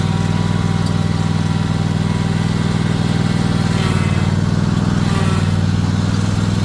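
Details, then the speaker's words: 22 hp riding lawn tractor with added hitch slowly backing a roughly 1,500 lb 16 ft tandem-axle trailer (rated about 500 lb): steady low engine drone with a faint whine rising as it binds; transmission straining under overload. "you could hear that transmission really whining when it would get into a bind as like as I was slowly backing up"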